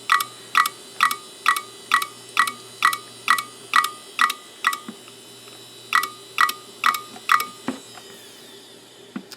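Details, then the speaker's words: Western Digital Caviar 10GB IDE drive from eBay, seller-labelled click of death: sharp clicks about twice a second in an otherwise quiet drive, a short pause, then the same run again; the classic click of death, cause not confirmed. "So, let's see if this 10 gigabyte indeed does clack clack clack on us. Yeah, I'd say that's definitely got the click of death."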